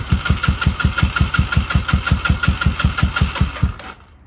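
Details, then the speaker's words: 1983 Honda Shadow VT750C after restoration, cold start with some choke on after wet plugs: the cold twin chuffs lumpy at about three beats a second, then fades and dies; rough cold idle. "all right she's idling quite nicely a little bit of Choke still on it's cold blooded so she's not interested in revving a whole lot"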